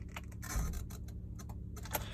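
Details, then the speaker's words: 2008 Honda CR-V: low steady buzz with light clicking when the key is turned and no crank, caused by a failing, burnt ignition switch that can prematurely damage the starter. "this is a pretty common issue on a a lot of the Honda's when you go to start the car and you hear a buzzing sound like so"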